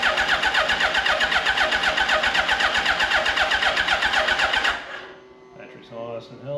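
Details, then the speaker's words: 2005 Suzuki Hayabusa EFI, abandoned 5 years after front-end damage; strong, even cranking near four beats a second while the fuel pump is heard priming, a good sign. Normal cranking. "Yeah, the good thing about turning it over before I can hear the fuel pump kicking in. So, that's a good sign."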